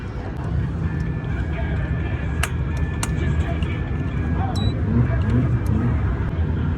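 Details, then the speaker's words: V8 misfiring persistently after a burnout; unplugging coils, cylinder one doesn't change idle RPM—dead cylinder. Cranking sounds good, plug fine; suspected dead coil or injector. Deep, uneven, choppy lope at idle. "we started unplugging coils and found number one is not does not change the RPM whenever we unplug it"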